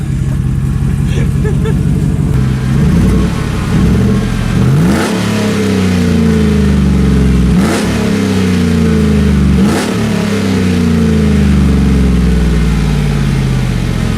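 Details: 2014 Chevrolet Silverado with no exhaust piping after the headers, being revved: very loud raw bark, deep pulsing, revs rising sharply then dropping to lumpy idle; open exhaust.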